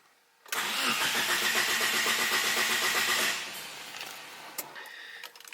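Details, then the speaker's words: 1000 hp GSX on E85: starter cranks steadily for three seconds but the engine never catches; cranks, no start; bad ECU capacitors suspected by some, not confirmed. "So, my 1,000 horsepower GSX will now not start. And uh and I don't know exactly why"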